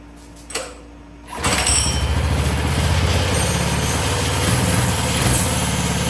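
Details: Coleman CT200 minibike with a Predator 212cc engine, after fitting a new aftermarket VM22 carb, new clutch and jackshaft chain: a brief pull, then it catches and settles into a steady, even idle putter; runs clean and healthy.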